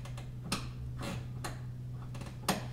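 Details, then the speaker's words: Seat belt pulled to the very end then retracting: light ratcheting click about every second as the retractor switches to automatic locking (ALR) mode for car seat installation; belt then locked, working as intended. "so now that i'm at the very end when i let it go back in do you hear that clicking i've now switched it over to the locked mode or in your owner's manual sometimes it'll say alr which means automatic locking retractor"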